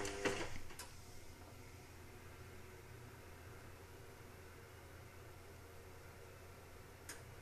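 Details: Indesit WIXL143 washing machine: a few sharp clicks at first, then near silence with one more click later. It clicks for 2-5 seconds and never finishes its cycle. Stain removal, Easy iron and door lock lights flash. Fault unknown.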